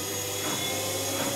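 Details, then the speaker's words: Zanussi/AEG/Electrolux washing machine in diagnostic mode, after draining: smooth even motor whine as drum climbs 200-650 RPM, holds balanced at 650 then accelerates toward 1,340-1,400 RPM; no thumping or grinding, normal. "As soon as we get to the minimum water level, the drum should start rotating and it will go up to a balanced 650 RPM and then it will accelerate up to a roughly 1,400 RPM."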